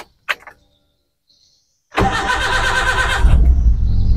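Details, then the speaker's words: Espass 1600cc car on CNG after fitting a low-pressure regulator, with its spring removed: the starter churns for over a second before the engine catches and runs unevenly, then it tends to die. Long crank before starting. "Oke, agak panjang ya teman-teman. Oke, ini udah nyala, kita coba."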